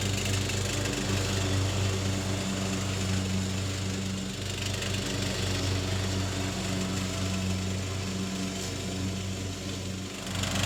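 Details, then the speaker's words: Troy Bilt mower, revived after about five years parked and carburetor cleaning, fresh oil and filter, mowing: steady mid-pitched single-cylinder drone at even speed, slight dips under load; normal running under load. "It's no Super Z, but it'll mow."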